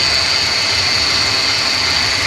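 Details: 2014 Mercedes C250 at idle: steady, piercing high-pitched whine that doesn't waver; owner suspects low power steering fluid (dipstick still about an inch low after driving) rather than alternator pulley, unconfirmed.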